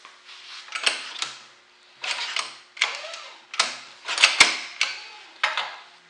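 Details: Honda-clone 1200 W portable generator, about six rope pulls roughly a second apart, engine turning over each time but never catching; crud in the gas tank, no start.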